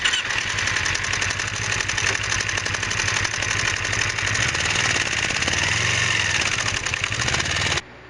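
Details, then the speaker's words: 2006 Kawasaki Ninja 250R idling with a fast, sharp metallic ticking over the exhaust, sounding like valves need adjusting; valves were fine, cam chain extremely loose because the cam chain tensioner wasn't engaging, fixed by cleaning the tensioner. "So I have a problem with my bike. It's a 2006 Ninja 250, and it ticks."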